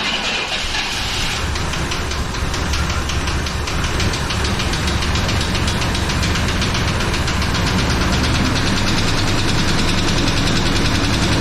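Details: 1999 Chevrolet Tahoe that sat 14 years, first start on fresh fuel, about 60 psi oil pressure, some smoke: rough idle with a steady knock about 2.5 times a second; cause unclear, possibly internal damage.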